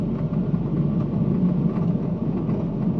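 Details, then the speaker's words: 2015 Ford Transit 350 van, driver's side front wheel hub bearing failed: steady, droning low growl under the vehicle noise, heard at about 21°F; hub assembly to be replaced. "sounds pretty, doesn't it? Yeah, that's a wheel bearing. That's what we're going to replace today."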